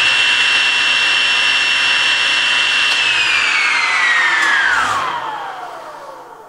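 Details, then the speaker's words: SawStop table saw with 1.75hp motor on 110V at 14 amp draw, before the 220V upgrade, run three seconds with the camera above the blade edge: a steady high whine, then pitch slides smoothly down as it coasts; healthy. "i will plug it in at the 110 power rating 14 amp pull and we will time from the spool up to the full power on"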